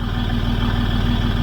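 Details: 2006 Land Rover Discovery 3 diesel after restoration with new trigger wheel: steady idle with an even, regular beat and no stumble.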